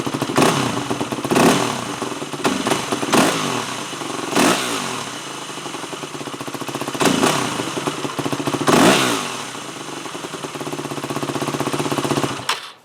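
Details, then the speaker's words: Four-stroke dirt bike carb, fuel screw being tuned: single-cylinder blips rise sluggishly and sag on each quick throttle stab, then idle hangs before settling; lean bog on the pilot circuit. "So, when I was revving it up, it was still bogging. Now, how to tell if it's too rich or too lean? Typically, a lean bog is when it goes, it sounds like the engine is dying,"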